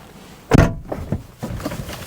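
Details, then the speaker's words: High-mileage Mercedes W209 CLK diesel, door shut: heavy slam then loose hollow clunks and rattles inside the door. Suspected loose 10 mm nut on the grommet holding the window regulator, a common fault; not confirmed. "I don't know if you can hear that but when you shut the door there's quite a horrible noise I think I know what that is better basically there is a grommet with a 10 m nut that holds part of the window regulator in place and it always comes loose on these"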